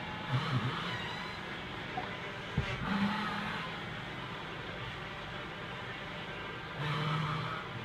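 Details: 1998 Ford Taurus on jack stands: low groaning creaks come and go as the steering wheel is turned, over a steady engine hum; cause of the steering creak not yet found.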